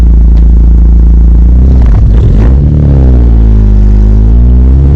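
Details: Toyota MR2 Turbo 3S-GTE, exhaust clip: loud deep exhaust note rising under acceleration with uneven stumbling pulse; misfire from a very small crack in cylinder 3 of the block, audible in 1st and 3rd gear.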